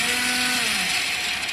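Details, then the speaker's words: Motorcycle: high, free-spinning electric whine sagging slightly in pitch with no compression beats; the starter motor runs but never cranks the engine; suspected cut starter chain or one-way clutch fault, unconfirmed. "இதில் ரெண்டு விஷயம் நடக்கலாம். ஒன்று chain cut ஆகிருக்கலாம், இல்லைனா அந்த one way கிளச்சில் வந்து ப்ராப்ளமாக இருக்கும். இப்போ இது மோட்டர் வண்டி ஓடுது, நீங்களே பாருங்கள்."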